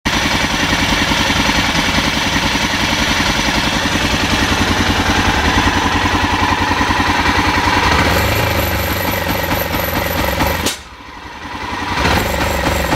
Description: BMW F650 Funduro 1998 engine misfire. It will not rev above 3000 rpm even when the engine is hot.